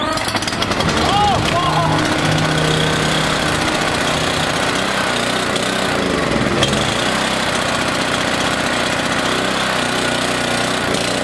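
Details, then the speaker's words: Small single-cylinder engine stored for three months on 14–15-month-old pump fuel, no additive, tank about half full; started after quite a few pulls, steady, slightly rough fast beat; running. "so 14 15 month old pump fuel no additive at all and it started took quite a few pulls but it did start wow that was a shocker"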